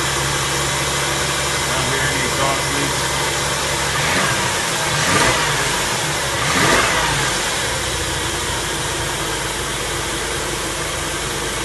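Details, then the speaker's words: 2004 Mercury Monterey with misfire codes P0300–P0303 and P0316, started after a new coil pack and new catalytic converters and O2 sensors: smooth steady idle with a couple of brief blips that rise and settle cleanly, no misfire. "no misfire so that's good"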